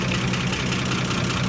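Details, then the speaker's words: 1955 Chevy Bel Air inline six after a tune-up; steady, even low rumble with a smooth rhythm and no misfires or knocks, so it idles cleanly. "Purring like a tractor should. It is a mess, guys. It is a mess. But we got it. It's running."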